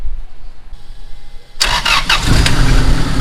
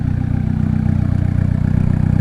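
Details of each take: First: Turbo Honda Accord after reconnecting a line that had caused excess pressure, rich idle and poor idling: fires after brief crank into a fast, busy idle that stays up; idle set too high, later lowered. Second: Turbo Honda Accord, idle adjusted down to about 1000 rpm: low, even, choppy exhaust pulse, no hunting or misfire, returns right to 1000 rpm; healthy idle.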